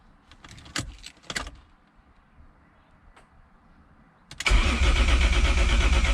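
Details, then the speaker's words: BMW E36 with swapped Toyota 1JZ engine cranked with main and fuel pump relays pulled (no fuel, no spark) to check oil pressure, previously started without any; steady even cranking about three turns a second, no knocks or grinding; reached 25 psi. "i only have one gauge wired up right now just kind of jankily and i want to see if i can crank the car and get oil pressure so let's crank it"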